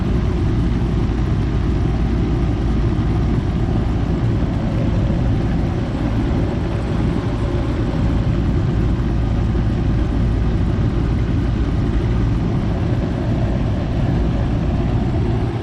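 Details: Goodman outdoor AC unit that was not cooling, with only the fan running and the compressor not starting. After a new 45/5 MFD capacitor is fitted, it gives a steady low hum and fan rush with the compressor running normally.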